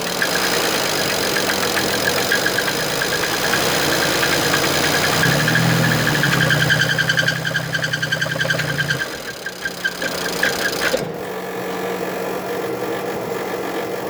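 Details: BMW N54 in an E61, previous owner claimed it was seized, copper throughout the oil: idling six-cylinder with a sharp, fairly regular knock three to four times a second, attributed to a bad bearing.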